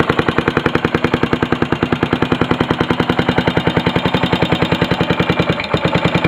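Single-cylinder running with a sharp, steady knock about three and a half times a second; a knock of unknown origin.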